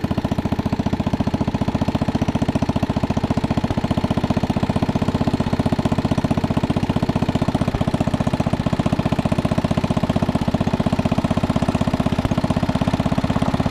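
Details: 1961 International Cub Cadet Original tractor, 7 hp Kohler single-cylinder, being driven after new tubes fitted: steady, even thump about four beats a second, no misses or knocks; engine running healthy.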